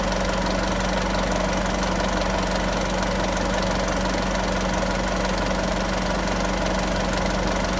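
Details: Isuzu 3.0 V-Cross 4x4 pickup, diesel, cold morning start idle: steady clatter at an even idle with a constant low hum and no odd knocks. A normal idle.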